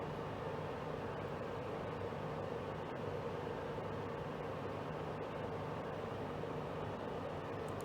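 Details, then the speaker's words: Portable air conditioner, about three years old, after exhaust fan motor repair: steady whoosh of air with soft hum, no rattles or surging. The exhaust fan runs only while the compressor runs; still very cold air coming out. "notice the exhaust fan on this only works when the compressor's running which does make sense"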